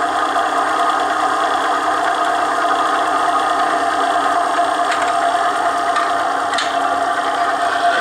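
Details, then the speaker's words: Bearing-and-race friction test machine, bearing in holder against rotating race, lubricated with Mobil 1 synthetic grease, before weight added, motor drawing 4.4 A; constant mid-pitched rushing hum with faint clicks: bearing friction against race. "Then what you're going to hear is the friction, the bearing against the race, and you're going to see the amps are at 4.4."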